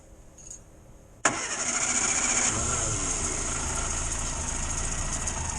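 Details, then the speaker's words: A sharp catch on the first try, then a steady, even idle with no misfire. A 1962 Morris Minor starts and idles normally after a new ignition coil was fitted. "well immediately it sounds better"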